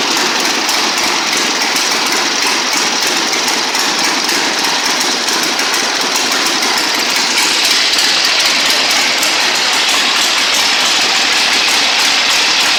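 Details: 1960 Harley-Davidson Sportster Ironhead, unused since 2010, running after magneto points/condenser check, carb service, fresh gas, timing and points set: loose rhythmic V-twin potato beat around three pulses a second, steady without stumbling; normal idle.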